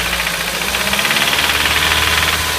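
Loud idle with a fast, light ticking riding over the hum, steady throughout; a ticking fault in the engine, cause not pinned down.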